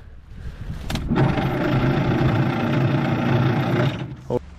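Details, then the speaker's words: 1950s Galion 503 road grader, unused 10+ years, oil put in: heavy, low, labored churn of about four beats per second that never fires. Slow cranking; the battery or electrical faults are suspected. "all right all right give [Music] her kind of slow yeah I got another battery and jumpers if we need"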